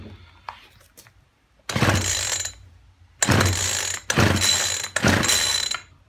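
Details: Poulan Weedeater Featherlite two-stroke strimmer after fuel line replacement with the primer bubble full and fuel returning: four rattling, ratcheting pull-cord bursts with no firing or catch. It cranks but won't start; the spark plug is checked next.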